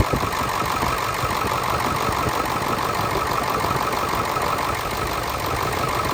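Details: Ford 7.3 Powerstroke diesel, started in the morning at about 70 degrees outside, earlier seen with blow-by: even idle clatter, steady rhythm, no heavy knock. Exhaust smoke cleared after running; owner suspects an injector.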